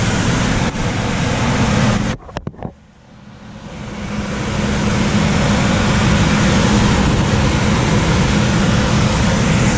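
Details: Coleman DGAX056BDTA manufactured-home furnace with constant-torque ECM blower: loud, steady rush of air with a faint low hum because the 24 V motor tap is set to high speed; fix is lowering the blower speed tap.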